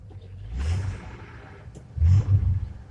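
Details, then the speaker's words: 1984 Ford F-150 just started: low, soft exhaust rumble swelling twice with no knocks or misses; starts right up and idles normally. "That bitch starts right up. Sounds good."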